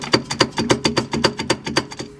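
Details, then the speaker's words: Subaru BRZ rear passenger-side axle turned by hand gives sharp dry clicks, about five per second, fading at the end. The owner first mistook it for exhaust noise. The axle is toast and is being removed; worn CV joint. "the axle is pretty much toast so I have to disconnect pretty much everything everything's got to come out"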